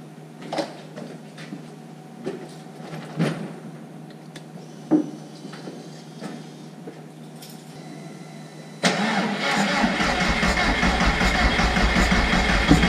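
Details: Jetta with billet IE fuel rail and Aeromotive fuel pressure regulator, jump-started from a fully flat battery after about two months sitting: quiet clicks, then abrupt catch into a steady, even, loud cold idle, no knocks or misfires; fuel pressure about 41 psi; normal start.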